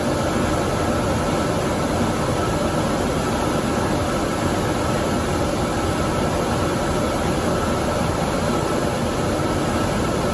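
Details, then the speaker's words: Dometic furnace in a Fuzion 429 5th wheel, with the sail switch pulled out of the fan housing and left inactive: blower runs with a faint whine but the burner never lights because the circuit is not complete. "There, the fan was turned on. The sail switch is not active, so the circuit is not complete."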